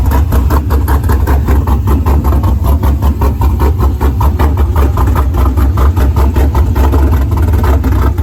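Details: Pontiac GTO being rebuilt after a crash, still on open headers so loud: even idle, deep low rumble, choppy exhaust pulses, no knocks or misses. Car sometimes won't start on first try; runs normally.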